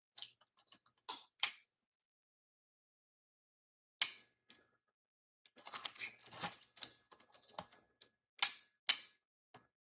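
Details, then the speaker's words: 1950s Minolta Autocord after slow-speed gear repair, shutter at about 1 second: crisp click then a fine, even escapement buzz of about a second before closing; consistent, normal slow-speed escapement. "That sounds pretty consistent cuz I don't want that. It has that little buzzing sound and I don't want the buzz to gozz."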